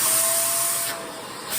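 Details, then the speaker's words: Shark vacuum being diagnosed for suction issues, checked section by section. At the second test point it is switched on: a steady airy hiss with a thin motor whistle, dipping briefly as airflow changes. Suction is strong, no clog at this point. "turn this on we're good we're good okay we got suction let's keep moving"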